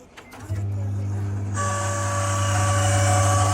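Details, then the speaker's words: Microwave with a loud noise problem, fan motor running before replacement: a click, a steady low hum, then a loud rough whirring roar. The fan motor is noisy and failing, and a new motor was fitted. "इसमें जो है sound आ रहा है। इसका motor हमने इधर से निकाल लिया है।"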